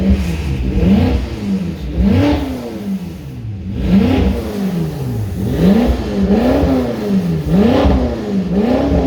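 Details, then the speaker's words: BMW M5 F10 at 92k km after check-up and oil service, no leaks found: clean throttle blips, pitch climbing smoothly and falling back evenly, no knocks or rattles; V8 feels much healthier than before, normal revving. "It feels much more healthy than before."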